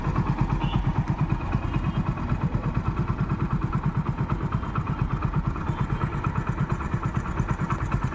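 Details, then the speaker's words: Passion Pro single-cylinder motorcycle at idle, oil recently changed: even, unhurried thump about three beats a second with no rattles or misses; engine runs very smoothly, normal idle. "Okay విన్నారు కదా engine అయితే చానా అంటే చాలా smooth గా ఉందండి."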